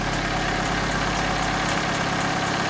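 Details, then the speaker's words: Vauxhall Corsa after coil pack replacement to cure a misfire that appeared when warm. The engine idles warming up with the bonnet closed: a steady, even, smooth idle with no misses. It sounds good and is quieter than before the repair. "guys we have closed the Bonnet so far it's sounding very good it's sounding very good"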